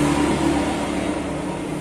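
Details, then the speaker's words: Honda Vario 125 scooter, rear wheel turned with the engine off: a steady, coarse, gritty rumble, also rough with the engine running; worn CVT bearing. "roda diputar suaranya kasar sekali. Kemudian ketika mesin menyala, suaranya kasar, sok gitu ya."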